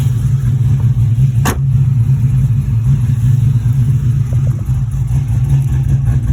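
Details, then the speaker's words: Pontiac GTO idling about 10 minutes after the old fuel pump was refitted, with fuel pressure at 50 psi; it used to stall after 5–10 minutes: deep, steady, even low rumble with no misses; normal idle. "okay got the gto idling in the background"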